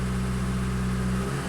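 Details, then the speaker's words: 2005 VW 2.0 TDI PD (BKD, no DPF) free-revved: strong, even diesel drone held at raised revs, then easing back, with no rattle, surge or hesitation. Specified and actual boost are closely matched, so it revs cleanly and healthily. "But yeah, they're nice and closely matched, and if I rev the engine, that's perfect."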